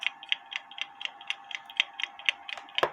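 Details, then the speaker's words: Kienzle carriage clock (1898–1923), repaired, after turning the hairspring collet to set it in beat: crisp, even ticks about two per second with steady tick-tock spacing; escapement running in beat. "and that sounds a lot better to me maybe you can hear this"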